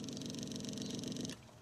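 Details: Cosom 751 record player motor after stripping, cleaning and greasing, run via shut-off micro switch: low, even hum running smoothly then cutting off cleanly; normal running.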